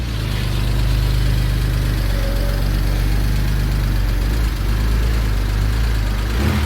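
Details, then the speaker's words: Donor BMW 123d diesel idling with warning lights on, shaking: heavy, uneven clatter with a loose rattling undertone that sounds like a tractor. The worn timing chain needs replacing. "it's actually a one two three d which needs a timing chain that's why it sounds like a tractor currently"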